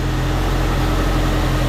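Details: Ford Courier with newly fitted GM one-wire alternator, reading 14.58 V after suspected PCV vacuum leak: steady even low hum without knocks or surging; smooth idle, alternator charging normally.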